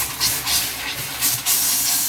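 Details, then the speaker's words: Newly installed Rheem natural gas water heater with automatic exhaust: the hot side is turned on to let air pressure out, with hissing, spitting bursts of air and water settling into a steadier rush; normal air purging after install, no leaks. "So let all the air pressure come out, huh? Yeah, let it turn on."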